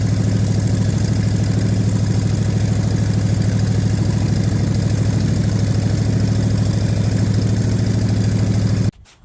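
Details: Same revived Ford big-block V8, refired after a compression test. Steady, even idle with smooth firing and no knocks or misses. Exhaust manifold temperature checks confirm all cylinders are firing and warming quickly, so it sounds healthy.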